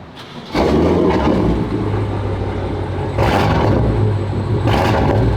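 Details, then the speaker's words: BMW with aftermarket downpipes (sound predated them), at exhaust shop: deep startup rumble then sharp revs with a rough rasp on each, heard toward the front; exhaust leak. "it's like when I say if I would rev it it would have like a rusty sound to it like if I'm in like a low gear like gear one or gear two is it like ring or something or what not rattling"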